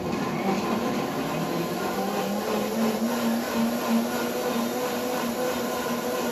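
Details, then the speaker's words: New WantJoin commercial blender, 2-litre cup under soundproof cover, juice mode: low steady motor hum, even through the blend and fairly quiet for a blender; running normally. "and see how quiet it is compared to a traditional blender"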